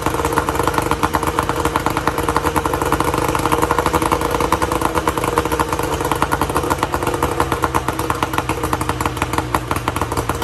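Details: 1994 Tohatsu M40C two-stroke outboard after water pump replacement, unseizing the seized motor and freeing the locked lower unit, run with water on: crisp rapid crackle holding a steady fast beat with no misses or knocks; clean and even.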